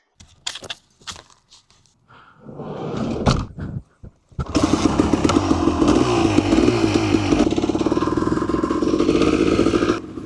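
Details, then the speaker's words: 1991 Honda CRM 250 two-stroke after balancer shaft and bearing replacement: after some handling clatter, fast, even buzz rising cleanly with revs, no rattle, much quieter than before; normal running. "Yeah, it sounds a lot quieter. Oh, it sounds well different. Alright, so it does seem like it's definitely a lot quieter."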